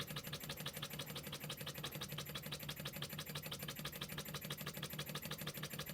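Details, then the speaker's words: Scratch-built Wig Wag wobbler oscillating steam engine on compressed air from a compressor: crisp even chuffs about three per second, steady rhythm, no stumbles; running well. ">> Right, so that was the little engine running well."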